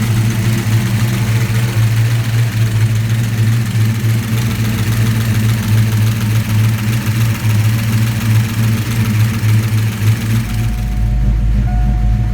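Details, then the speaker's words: 1987 engine just after Promaxx cylinder heads install, battery had been disconnected: idle hunts and rumbles unevenly for several seconds then catches and smooths; computer relearning idle, surge clears. "The computer is just trying to learn a little bit. I had the battery disconnected, so it'll surge for a minute and then clear out."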